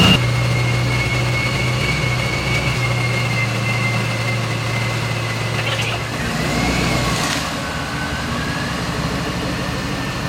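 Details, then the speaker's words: Ford Mustang with freshly installed replacement engine and ProCharger, oil pressure primed with injectors unplugged, first start and drive: catches and settles into steady, even idle with no knocks, ticks or misses; runs better than before. "All right, first drive everybody. Oh, that even runs better than before. It's kind of anticlimactic."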